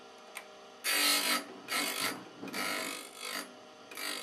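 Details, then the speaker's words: KEF Slibette 8 drill grinder, machine not bolted to the floor: bit turned and swept with a full swing to grind the second edge until no sparks remain, giving short rasping bursts with no harsh chatter; clean, normal grinding of the tip. "But I turn it around to make sure I do both sides. There's no sparks left."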